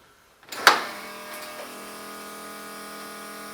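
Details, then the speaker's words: One-ton Jeep YJ fuel pump priming at key-on through a new battery disconnect setup: a click, then a steady, even electric buzz as the pump primes; it sounds healthy. "and when i do this the amber running lights of the lp6s should come on and i should also hear the fuel pump come on"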